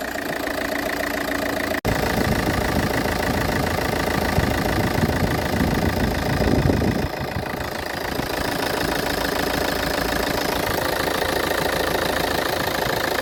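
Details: Car engine with loud, rough idle, an uneven low rumble and clatter about three beats per second, and vibration shaking the whole chassis; the cause is said to be something simple.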